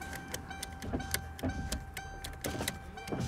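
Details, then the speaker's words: 2009 Ford Crown Victoria Police Interceptor, ex-government auction car, engine idling: repeated short window motor whirs with switch clicks as front windows run up and down; all front power windows working normally. "Okay, all the windows are working."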